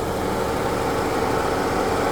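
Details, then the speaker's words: 2018 Jeep Cherokee 2.4, 172,000 miles, check engine light on (P0420 catalyst efficiency), hood open: smooth, even idle hum, no knocks, ticks or misses; engine sounds normal. "A little bit dusty under there, but it sounds like it's doing what it's supposed to be doing."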